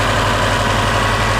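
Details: Subaru with newly fitted GrimmSpeed couplers, pitch mount and turbo blanket, first start after install while checking for a vacuum leak: steady, even idle with no hiss, whistle or surging; engine idles normally.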